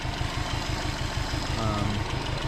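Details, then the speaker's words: Subaru Legacy Spec B idling: uneven chuffing beat with light ticking on the cylinder three side, which logged a misfire code; owner suspects valve noise, unconfirmed, and plans to replace the engine — engine ticking at idle. "it gave me a cylinder three misfire which is actually the noisy side of the engine to me it sounds like valve noise"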